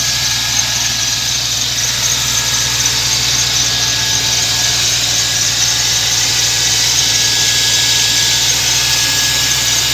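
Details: BMW M60B30 3.0 V8 cold start: after idling rough at 400-500 rpm for 20-30 seconds with a few knocks, the idle picks up and runs steadily and evenly with no knocking or ticking, under a thin high whine.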